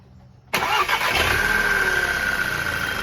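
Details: VW Jetta TSI after replacing a blown 5 A fuse that caused a metal-on-metal engine noise: the engine cranks, catches at once and settles into a smooth, even idle with no knocks or misses; a normal start after the fix.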